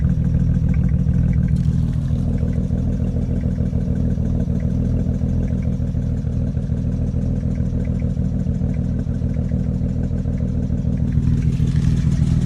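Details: BMW 335i N54 idling with uneven, lumpy pulses and faint ticking; misfire on cylinders 1 and 2, started after downpipe install; owner suspects coils, plugs or injectors, hoping plugs.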